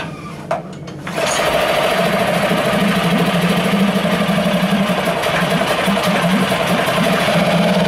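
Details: New CG Marine 4-stroke 6hp outboard from China on its first start after unboxing. It catches after a second and settles into a steady, slightly buzzy idle with an even hum. Normal running, judged a bit noisier than the Yamaha.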